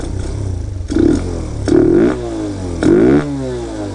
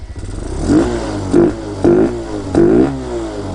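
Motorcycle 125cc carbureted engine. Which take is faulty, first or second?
first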